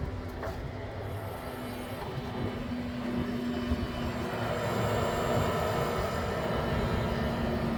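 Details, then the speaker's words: Tesla Model 3 parked, after radiator hairline-crack repair, running coolant air purge: steady low hum with a fixed whine that swells louder, from the coolant pump behind the firewall and the underbody fans. "So the sound's coming from behind the firewall, as well as the fans that are underneath your Tesla, by the way."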